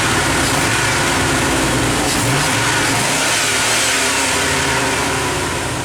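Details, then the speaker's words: 1997 Chevy truck (Z), V8, intake spacer, delete, computer tuned to standalone: loud, crisp revs climbing and dropping quickly, no knocks or misses, responsive throttle; normal revving. "i mean it obviously runs yeah pretty responsive throttle on this way"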